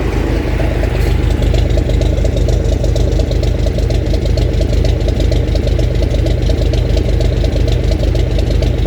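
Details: 1965 Gardner 6LXB 180 six-cylinder marine diesel on a temporary cooling system, test run after restoration following failure at 80 hours: steady, even low beat at about two pulses a second, no knocks or misses; healthy idle.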